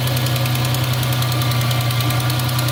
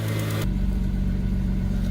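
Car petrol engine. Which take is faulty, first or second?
first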